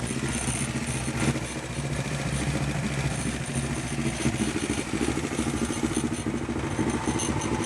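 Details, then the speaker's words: Honda CB500T twin race bike at pre-season check, after carburetor adjustment, pilot jets moved to carb body, new spark plugs and ignition timing advanced: very slow, slightly lumpy tick-over barely keeping going, reluctant idle close to stalling, otherwise fairly even and steady. "it doesn't want to take over much slower than that or it does stall but um that's not too bad"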